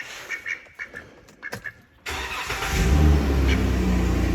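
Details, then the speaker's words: Chrysler Town and Country work van (titled 2013), on the ground after sealing the leaking exhaust resonator end: engine cranks, catches and settles into an even, steady idle with no puffing or ticking; exhaust much quieter, leak sealed. "Yeah, it's definitely a big improvement. Yeah, much better."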